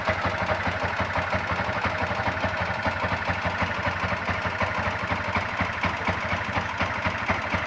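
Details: Yamaha MX King (YR15): a quick steady ticking, about four per second, over the idle, coming from the cylinder head; valve float caused by a high-duration camshaft.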